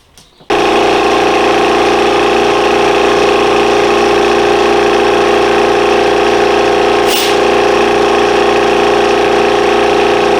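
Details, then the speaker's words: Air compressor during a tune-up: steady motor drone with a pulsing low beat and constant hiss; an air leak suspected, tightened to try to stop it. "so let me just tighten this up see if that stops the leak"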